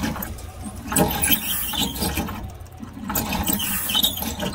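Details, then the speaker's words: Generator cranking: uneven surges with loud air rushing about every two seconds but no start; the engine is not seized; fuel pump works but suspected to be getting no power; solenoid to be checked next. "okay it's trying to start okay well okay so the generator generator is not seized"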